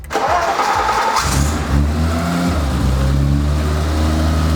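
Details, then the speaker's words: BMW E30 325i after oil change and topping off transmission fluid and coolant, warming up: cranks briefly, catches cleanly, settles into a smooth, even idle; no longer overheating, healthy. "I think we figured it out it's idling nicely it's not overheating anymore"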